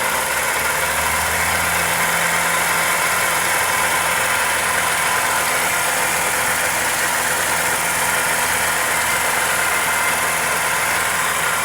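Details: Toyota Corolla EE90 with 2E engine at idle: light, fast ticking buried in hissy, top-heavy engine noise; suspected valvetrain or connecting rod, source not confirmed.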